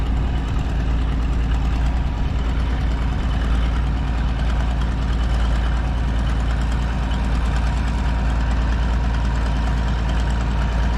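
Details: Minneapolis Moline A4T tractor on its first long shake-down drive: deep steady idle with a faint sharp tick on each firing pulse, about one a second, from an exhaust manifold leak on one side.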